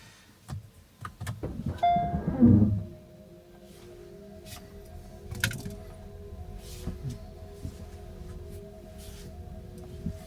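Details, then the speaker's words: Kia EV3 GT Line S after one year, driven over speed bumps after spraying silicone lubricant on the tailgate lock mechanism: cabin road rumble and faint motor whine, the earlier tailgate rattle is gone. "Right, I'll just run down our road and back over the speed bumps, and you should hear that it's not rattling like it was before."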